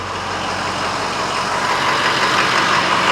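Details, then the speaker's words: 2007 Ford F250 6.0 Power Stroke diesel after Seafoam treatment, started after sitting overnight, AC on: even, steady idle under fan and AC hiss, no stumble, hunting or misses; rough idle gone. "This sounds really good. This does not have any kind of rough idle to it. So it looks like that Seafoam might have worked."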